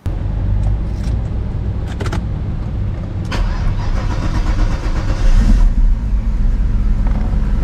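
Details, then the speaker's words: 1990 Mercedes-Benz 500SL R129, M119 5.0L V8: it starts and settles into a fast, uneven idle that climbs instead of dropping. The idle speed is too high, starting is unreliable, and once warm it sputters, misfires and stalls. "[Music] so yeah it sounds like a v8 all right but while the car appears to start all right there are some issues under the hood it doesn't start reliably all the time and when it does the idle speed is rather high"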